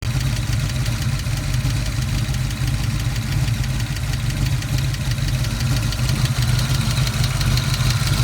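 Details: 1986 Ford Mustang GT V8 at idle: quick light regular tick over the exhaust rumble after an oil pressure valve leak lost 3.5 L of oil; oil clean, no metal; owner unsure rod knock or lifter.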